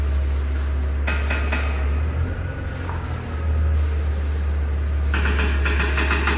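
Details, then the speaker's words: 2005 BMW 330xi E46 sedan, AWD, 6-speed manual: steady low drone with two short clusters of dull knocks a few seconds apart; suspension clunk, owner suspects the shock top plate. "all right well first things first I think that the top plate of the shock is making noise and I think that the cause so"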